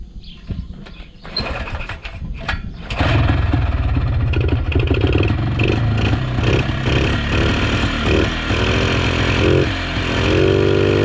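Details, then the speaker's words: 1980s Polaris 250cc two-stroke ATV revived after years sitting, first start on choke after the ruptured fuel line was replaced: a few sputters, then it catches and settles into a steady, crisp run with no misses; sounds healthy, runs well. "Yeah, she runs good, boys. real good."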